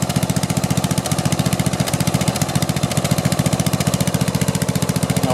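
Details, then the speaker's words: Snapper rear-engine rider, Briggs & Stratton 12 hp, just rebuilt, muffler full of oil still burning off: single-cylinder thumps at a steady fast beat with the odd skipped pulse; occasional misfire, owner suspects wrong magneto. "still burning a little bit and it does miss every every now and then"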